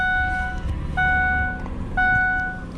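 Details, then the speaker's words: Ford Explorer, transmission rebuilt in 2017, check engine light for the fuel cap and EGR valve: fires up fine into a low, steady idle rumble under a chime pinging once a second, with no misses. Normal idle. "All right, I'll go ahead and fire it up so you know it actually works. Fires up just fine."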